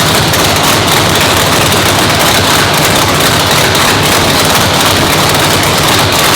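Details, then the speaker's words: Brand-new 997-cubic-inch nitrous race motor, first fire-up in the car in the new shop; loud choppy spitty, poppy crackling roar at steady idle without stumbling; normal race engine idle. "Fired up. Sounded awesome, guys. I mean, dude, I told you this thing was gonna sound spitty, poppy."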